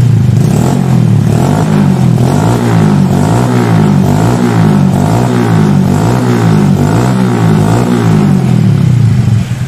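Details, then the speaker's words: Motorcycle carburetor with the pilot jet set right and the air screw at about one and a half turns, a little more: repeated blips rise and fall cleanly, and engine response follows the throttle with no stumble. Normal throttle response. "Ini pas sudah saya setting pas ya Jadi kalau pas antara respon gas dengan motor itu barengan ya skin ya"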